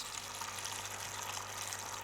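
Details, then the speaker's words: EuroStar HBL 802 hang-on aquarium filter after hookup: steady splashing hiss with a low hum and uneven gurgle; owner suspected trapped air, refilled it, and suspected ceramic beads in the top tray knocking together in the flow. "Bu filtreyi bağladım arkadaşlar. Daha sonra böyle bir ses almaya başladım."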